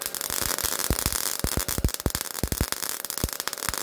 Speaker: You could hear the popping. You could hear the way the arc sounded and you could see the arc. It It wasn't a smooth arc. It was stubbing into the base metal.